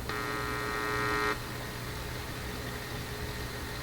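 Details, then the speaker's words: AF-610 Japanese AM/FM tube radio tuned on the FM band: a brief whistling tone cuts into a steady hiss, like between stations but not quite. An abnormal FM-band hiss, cause unknown. "Kind of sounds like an FM radio between stations, but not quite."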